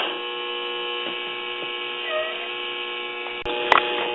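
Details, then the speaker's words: Crosley Cruiser record player with a temporary test amplifier circuit: a steady buzzing hum with stacked overtones that depends on the volume setting, louder and distorted. "all right it sounds like we're picking up some hum it's dependent on the volume control setting"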